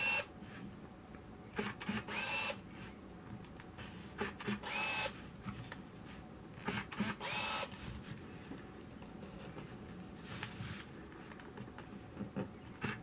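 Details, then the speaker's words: Konica Big Mini BM-510Z 35mm film camera, checked before sale, rewinding the roll back to 0; repeated short, high, even motor whirrs, no grinding, film breaks free of the take-up and counter flashes 0; normal film rewind. "Here we hear it rewinding, and it's going to go back to 0. I hear it break free from the take-up, and now it's a flashing 0."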